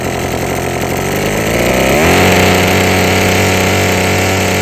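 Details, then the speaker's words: Husqvarna string trimmer after freeing a sticking trigger and adjusting the carburetor, which had been cutting off. It idles, then revs cleanly to a high, steady scream with the string whistling: normal high rpm. "All right, so you could hear how those RPMs are way up there now. You can hear that string whistling now."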